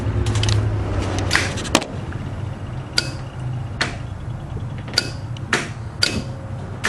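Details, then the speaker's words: Newly installed windshield washer motor with the key on: sharp, uneven relay clicks about two a second with no motor whir; power is reaching the switch but the motor does not run, to be bench tested. "I can hear it clicking and relaying I'm getting Paulo through the switchback and I don't know what the deal is"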